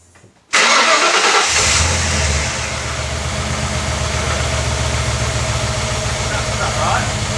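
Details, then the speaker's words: Ford AU XR8 V8, started after the camshaft position sensor was refitted: it settles into a very rough, lumpy, stumbling idle that shakes the whole car, attributed to the poorly seated sensor connector. "Something's not right. It's idling really bad. It's idling very bad. The whole car's going."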